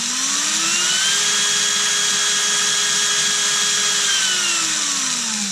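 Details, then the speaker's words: Erbauer 18V brushless drill after its motor driver circuit, which seemed to have failed, was replaced with a generic AliExpress driver board: motor whine rises smoothly, holds steady, then winds down evenly, with variable speed control responding cleanly; normal variable-speed run after repair. "Look at that. That's about as fast as I walk. We finally got it."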